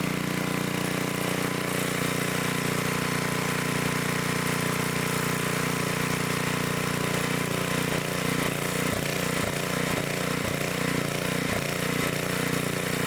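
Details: 1972 Dayton 3,000 W electric-start generator, unused 30 years, after reassembly: steady even speed, fast regular beat, no stumbling; running cleanly.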